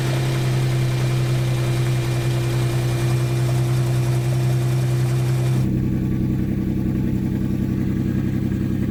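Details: Salvage crash-damaged Ferrari 599 V12, early run after undercarriage damage: deep smooth idle with steady hum and a slight note change partway; no knock or miss, runs fine.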